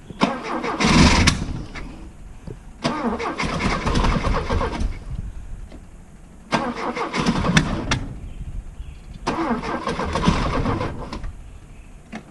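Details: Opel GT 1.9L freshly rebuilt engine, ran fine on test stand months ago; timing, distributor, carburetor, valve lash, points checked, compression about 140: four long steady cranking bursts, engine never catches and runs; hard start, extended cranking without running.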